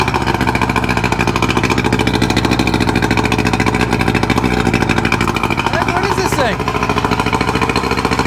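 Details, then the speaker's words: Two-stroke outboard on a tinny, long unused, with the telltale hose cleared, on a water hookup: a fast, even burble at a steady idle with no misses or knocks after settling down, with the choke probably now off; running healthy. "Oh, it just settled down. Might had the um choke might have been on or something. That just settled right down."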